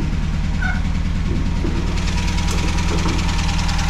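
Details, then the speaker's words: MGB GT classic car with a tired engine (choke won't stay on) idling loudly and roughly: an uneven, lumpy low thumping that sounds well worn. The owner calls the engine pretty dead and plans an MX5 swap. "uh all here but turn that off cuz it so loud yeah it's pretty dead to this engine so that's why I want to MX5 swap it"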